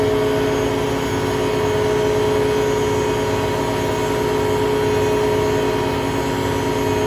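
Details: Hotpoint Aquarius WMA32 washing machine test spin: steady loud droning roar throughout high spin; owner judges it ruined, broken bearings if not a broken spider.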